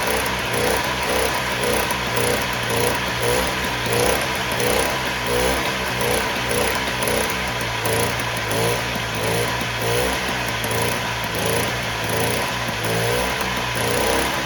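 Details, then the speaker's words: 1958 Sears Allstate Vespa 125cc two-stroke, first start in about a year, on choke, started first kick: steady fast idle with light buzzy rasp, running smooth while warming up; cold start warm-up. "well that started up a lot easier than i thought it would usually it just takes a bit of time for the gas to start falling down in it but it's running smooth so i'm just gonna let this heat up for a little bit"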